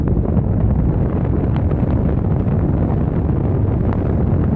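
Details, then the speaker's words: Vintage Patton high-velocity air circulator fan with blade and cover refitted after motor troubleshooting: loud, steady rush of air with an even low roar, no rattle, scrape or wobble; normal full-speed operation. "we're gonna fire it up and I'm pretty sure this is going to be super loud"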